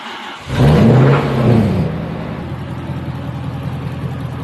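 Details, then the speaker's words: Toyota 1UZ V8 after sitting on the rev limiter for a few seconds: hard rev settles into lumpy idle with uneven low knock underneath; suspected spun bearing, not confirmed. "yeah it's making noises oh [Music] yep yep that's uh probably a spun bearing"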